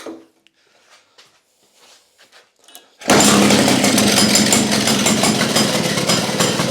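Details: Restored Victa two-stroke go-kart on its test run: after a few quiet seconds the engine fires and holds a crisp, even, buzzing two-stroke beat; normal running.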